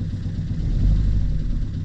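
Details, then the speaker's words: Fiat Qubo diesel idle after battery recharge, smoking: deep rumble with uneven lumpy pulse, running on three cylinders; viewers suggest injectors, timing chain to be changed; misfire cause unconfirmed. "vous allez pas le voir mais laisse tomber comment il il tourne vraiment sur trois pattes j'espère qu'on va arriver à le sauver ce moteur"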